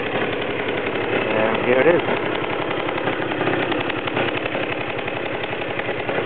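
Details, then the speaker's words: Super Vino small scooter engine just after startup, a quick even putter at roughly three to four beats a second that holds steady; the owner says it can idle all day. A normal idle. "Okay, now we're going to perform the startup, and we can all hear it run. Now as it's running, it can sit there and idle all day long, literally."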